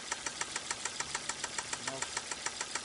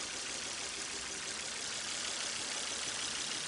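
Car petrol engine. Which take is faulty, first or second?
first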